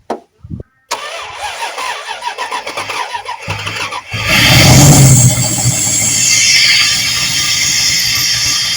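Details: Junked Dodge Dakota V8, fuel fed by hand into intake while another person cranks: starter cranks, V8 catches and roars up unevenly, running only as long as fuel is fed.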